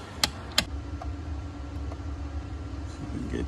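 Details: 2010 Ford F-150 cab: sharp plastic clicks from behind the dash over a steady hum, caused by a faulty HVAC mode door actuator, to be replaced.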